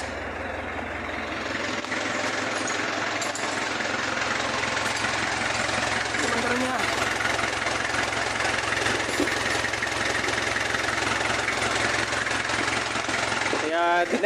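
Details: Kia Bongo diesel that clicked but wouldn't crank; starter cleaned, and the battery relay wasn't powering the solenoid, so it was wired direct. First run after a long time sitting: steady, even diesel clatter at idle with no misses or stumbles; normal idle.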